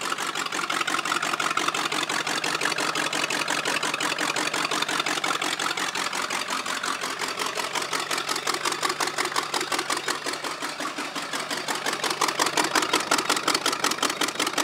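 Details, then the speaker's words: G-body car just converted from computer control to carburetor, first start: fast, even valvetrain ticking over a steady engine note, no loud knock; valves adjusted and pumping oil properly, running normally. "everything is adjusted it's pumping oil like you're supposed to"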